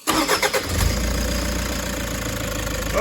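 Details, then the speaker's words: Vehicle with a new replacement engine and new turbo fitted after the old one, at nearly 300,000 km, was pumping out oil: starter churns briefly, then it catches into a steady, even idle with no knocks or whistles; sounds healthy. "oh beautiful have a listen to that man give it a few gentle [Music] RS oh doesn't that sound better absolutely beautiful"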